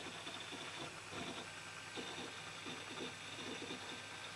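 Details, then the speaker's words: Desktop PC with i5 quad-core, Arctic Freezer i30 cooler and low-RPM fans, Windows booting: fast irregular ticking and chattering over a soft fan hiss; normal hard drive seeking under heavy read/write, loudest component. "so so yeah as you can hear the most noisy guys the hdd this window is starting it's using a lot of read and write cycles"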